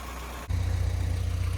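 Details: Mini Mayfair 998 owned by Matt, after valve clearances set, timing set and AAE carb needle fitted with standard airbox: smooth, even low idle with a steady beat and no knocks or misses, running sweetly and quietly.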